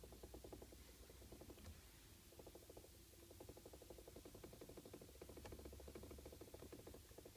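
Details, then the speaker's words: Toyota Avensis T25, heard in the cabin behind the instrument panel: quick, uneven light knocks and rattles in bursts over small bumps from the steering column; owner suspects the electric power steering plastic gear or something loose. "так есть такая проблема Как звук лишний или стук можно так сказать в рулевой колонке а он издаётся из салона где-то находится по ощущениям там за приборкой"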